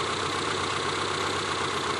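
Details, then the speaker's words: ZAZ Slavuta injector engine after cleaning a dirty throttle body: even, steady idle with no hunting or dips, revs stable and throttle response good; normal idle after repair. "Động cơ vận hành trơn tru."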